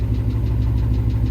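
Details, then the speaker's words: Engine knock at idle after hot lapping at a race, revving and shooting flames from a hot kit, then the engine shut off; heavy regular low knock about six per second. Owner suspects it shut off too late, cause unconfirmed. "so guys if you listen really really really close you can hear the tick so there is a knock so I don't know if you can hear it yeah that's not good"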